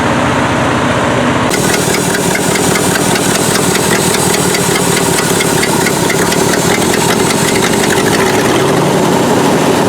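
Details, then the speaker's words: Old Ford F600 dump truck, first start in years, carburetor messed up and running near full choke: loud uneven idle with a constant airy hiss; owner suspects a massive vacuum leak at an old vacuum brake booster line. "got a massive vacuum leak i just can't figure out where it is sounds like it's coming out of that it does must have had vacuum brakes at one time power booster"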